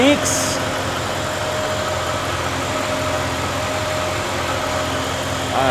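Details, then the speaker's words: Chevy OBS crew cab LS V8 first start after sitting a while, with new accessory drive and upgraded charging system fitted: steady, even idle, no squeals, misses or knocks, no leaks; normal idle. "Hasn't been started in a while. Sounds good. No squeals. Don't see any leaks."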